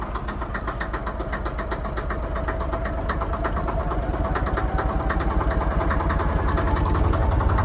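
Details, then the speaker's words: Truck engine with a known problem, bumped and then run after being driven home: a loud, uneven low rumble with ragged pulsing that barely builds with the throttle floored. The engine is not locked up but runs rough and weak. "oh the engine doesn't seem to be locked up oh it doesn't sound good"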